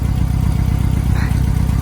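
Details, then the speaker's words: 1990 Mitsubishi Mighty Max, warm idle on old spark plugs before Seafoam and a tune-up: rough, choppy, stumbling idle with irregular missed pulses, still skipping; a misfire. "You can hear it still skipping. Before I do the spark plugs and everything, I'm going to run seafoam through the engine, but I want to do it on the old plugs so we don't risk fouling out the new ones."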